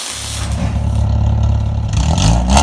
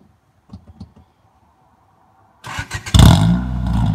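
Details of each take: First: Petrol engine with an exhaust leak, before fitting eBay 4-2-1 headers: revs with a raspy, puffing edge over its low drone. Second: Engine with eBay aftermarket 4-2-1 headers fitted after an exhaust leak, plus an EDM muffler: a few cranking pulses, then it catches and revs into a loud, deep, steady exhaust note, over music.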